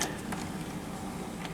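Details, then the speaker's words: JVC HR-S5400U Super VHS VCR after repairing the broken slider tab by re-looping its spring; brief steady motor hum with light clicks as the tape ejects cleanly, loading mechanism working normally. "yes it will okay so this was repaired it was just that uh Little Broken tab on this little slider mechanism"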